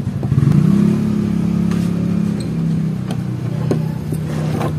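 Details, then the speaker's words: Electric massager motor runs with a steady low hum and a coarse, irritating buzzing rattle throughout; the motor is loose in its mount, fixed by shimming it with thin plastic. "So ito guys oh meron ding ingay yan oh dinig niyo nakakairita 'yan sa pasyente. So ganun din ang problema yan sigurado."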